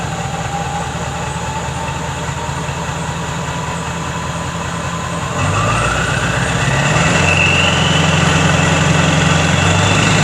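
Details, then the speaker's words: Skoolie bus diesel after exhaust modification: drone with whistle rising in pitch as revs climb; turbocharger now audible where it never was before, not louder up front; normal running with turbo whistle. "one thing I definitely did notice is I can hear the turbocharger now and I never ever could hear the turbocharger before"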